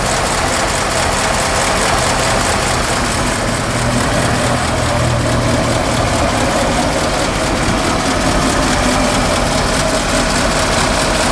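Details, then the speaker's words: 1952 Ford F4 farm truck, 43,000 miles, engine with mechanical fuel pump and one-barrel carburetor, idling in neutral heard from outside: even, low thumping idle, steady with no knocks or misses; normal. "I think this was the same motor that they put in the 8N tractor, and it has kind of a tractor motor sound to it, kind of a thump, thump, thump, thump, thump."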